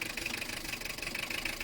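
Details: Toyota Estima 2.2 turbo-diesel 3C-TE, external recording at idle: sharp diesel clatter with an inconsistent, lumpy rough idle from low compression in cylinder no. 4.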